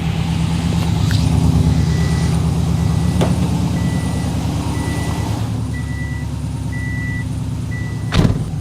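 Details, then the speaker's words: Freshly rebuilt boxer engine about 50 miles after build, fresh 20W-50 VR1 oil and new filter, oil system primed: smooth low even burble at idle, good oil pressure, no grinding or knocking; normal idle. "Oil pressure's good. Nothing sounds like it's grinding, binding, bending, anything."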